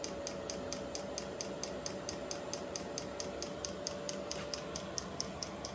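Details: Vevor 8 kW Chinese diesel heater on its first startup after install in a storage container: steady combustion roar over a soft hum, with crisp metering-pump ticks a little faster than once a second. Air in the fuel line is suspected. Heater is running normally.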